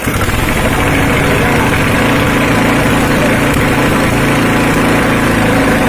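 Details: Honda GX240 petrol stationary engine that died suddenly after sitting unused for days, now running after service. Loud, raw, unmuffled single-cylinder bark with even firing; it runs normally.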